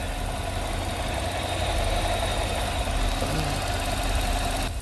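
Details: Idle after the noisy vacuum pump, which sounded like lifters, was removed, holes plugged and brake booster teed into the intake; steady low idle, even beat, no lifter-style ticking left; normal idle after repair.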